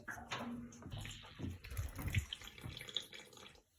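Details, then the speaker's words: Heating-system radiator isolated and drained through its opened bleed valve to fix a small weep at a tail: air sucks in as water gushes and splashes out into a bucket; normal radiator drain-down. "So if you hear the air starting to suck in, and there you go, the water starting to come from there. Just give this some time and it'll all drain out."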